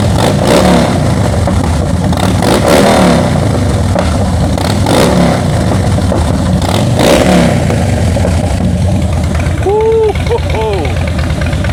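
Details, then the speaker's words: Wrecked salvage-auction 2013 Harley-Davidson Heritage Softail started with clutch held: deep, loping V-twin idle with crisp throttle blips rising and falling cleanly, strong even exhaust note, nothing amiss. "All right, that sounds pretty good, guys. Sounds uh sounds real good."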